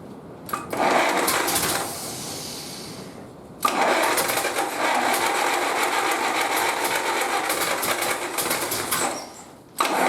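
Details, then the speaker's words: 1931 British Dodge Brothers UF-10 panel van, first runs after restoration: engine runs in uneven stumbling bursts with ragged irregular beat; rough running, some spark plugs possibly not tightened. "Well, we've got some obvious problems, like I don't think all the spark plugs are done up."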